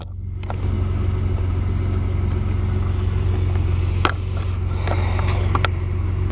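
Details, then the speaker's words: 1999 Ford Explorer 4.0L SOHC at idle in closed loop, bank 2 long-term fuel trim about +20%: low, uneven loping idle rumble with a few stray ticks; rough idle from a vacuum leak, later found with a smoke machine. "you can tell it's running running pretty bad it's got a rough idle you can tell right away my bank to long term fuel trims is like 20% so that's that's pretty high"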